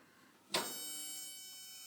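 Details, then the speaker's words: Kerosene heater being lit: a sudden sharp click then a thin high buzz or beep fading over a second as the igniter fires and lights the wick; normal igniter operation. "you will hear a noise you'll hear the igniter make a beeping"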